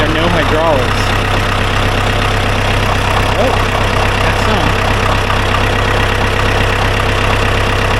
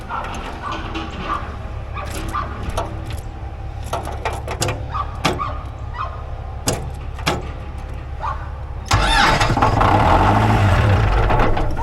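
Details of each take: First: Ford 2120 diesel tractor sat for years, seized throttle cables cut and throttle set to lowest setting: steady, even diesel clatter at low idle with no surging or misfire; normal idle. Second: Old Ford 2120 diesel tractor, sitting for years, starts and holds a hard unwavering roar at wide open throttle; throttle cables rusted tight, later cut and throttle set back to lowest.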